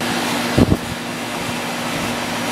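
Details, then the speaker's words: Outdoor AC condenser unit after replacing the capacitor, which had caused frequent starting and stopping: came back on; steady, even fan and compressor hum with one brief early bump, running smoothly and holding on. "took about five minutes but it did come back on and so far it simply gets kick it off more air than it did before"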